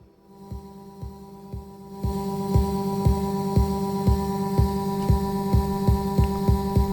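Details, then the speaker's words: Rafferty Timepiece Triple Analogue tremolo pedal, owner complains of choppy tremolo: sharp thumping clicks about twice a second over steady hum, locked to tremolo rate; clicking from abrupt LFO turn-off. "And the owner was complaining that the tremolo is too choppy and created a clicking sound."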